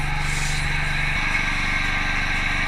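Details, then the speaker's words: Milking machine running with cluster on cow, each quarter flowing milk down pipe into bucket: steady vacuum pump drone with even pulsator rhythm, no stumbles or squeals; normal milking machine operation. "Milking is happening. If you look down here, you'll see each quarter is running milk. The milk's going down the pipe into the machine, into the bucket."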